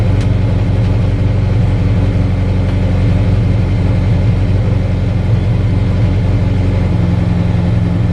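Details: Mazda MX5 at Loton Park, 72.43 run, after engine problem sorted: pulls hard and steady at high revs under load, deep even drone, no misfire or hesitation; healthy at full throttle.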